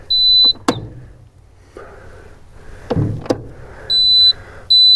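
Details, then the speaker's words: Cat skid steer after a Perkins 3034 to Yanmar engine swap, key on with engine off in the cab during first wiring test: sharp, high-pitched electronic beeps about half a second long repeating; the low oil pressure alarm. "Okay, that would be the uh low oil pressure alarm."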